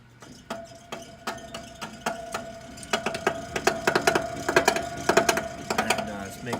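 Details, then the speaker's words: LG PTAC unit blowing cold air: steady tick about every two-thirds of a second over the fan hum, growing louder; blower wheel rubbing on something, blower fan later replaced along with bad heating coil. "loud noise and the heat isn't working as well so it's just blowing cold air the blower wheel is making contact with something so we're gonna fix this"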